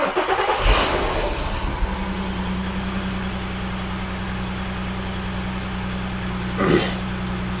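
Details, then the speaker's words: Skoda Superb VR6 six-cylinder at a cold start: the engine settles into an uneven idle with fluctuating rpm and a faint wavering beat; misfire fault codes and jerky gear shifts, traced to a torn, leaking PCV valve drawing vacuum. "So basically क्या हो रहा है? इसमें miss fire के फौ्ट generate हो रहा है। सो मैंने इसको स्कैन किया। ट्रायल व्हील पे गया और समझ में आया इसका जो पीसीबी है पीसीबी बहुत लीक है।"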